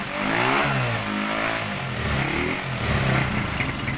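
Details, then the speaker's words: Honda GL100 motorcycle after CDI conversion with home-wound ignition coil: single cylinder fires cleanly and revs up and down smoothly with no misfire or popping; ignition now working. "ก็โอเคนะครับถือว่าประสบความสำเร็จไประดับหนึ่งนะครับว่าชุดคอยสตาร์ทที่เราพันขึ้นมาใส่Hondatlนี้นะครับมันใช้ได้นะครับมันใช้ได้แล้วก็สตาร์ทติดแล้วด้วยนะครับ"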